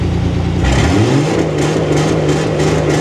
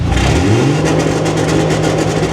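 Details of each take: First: Dodge L-head flathead in a vintage off-road wrecker on MaxxECU EFI, testing a rev limiter in fuel-cut mode with ignition cut as backup. Revs up, then holds with quick regular stutters; accurate, barely above 3,000 RPM. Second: Dodge L-head flathead in a vintage off-road wrecker, new EFI on MaxxECU Mini: engine held near 3,000 rpm breaks into a rapid, regular stutter of sharp cuts, like the old ignition rev limiter; ignition-cut rev limiter hitting.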